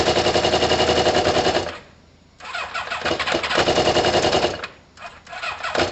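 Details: Kawasaki ZL600 motorcycle with new coils, tuned carbs and valves done, after swapping plug leads; cold, coolant hoses off: engine catches and revs in sharp, rough blips with short drops between throttle bursts, now firing evenly and running normally.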